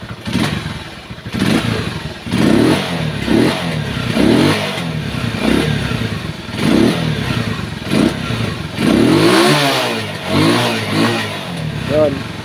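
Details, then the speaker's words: Rusi motorcycle one week after overhaul, previously bogging and leaking: crisp throttle blips rise and drop cleanly with no stumble; throttle response now good, not choked. "Maganda po yung response ng kanyang throtle kasi hindi po sakal Yung kanyang ah bulb"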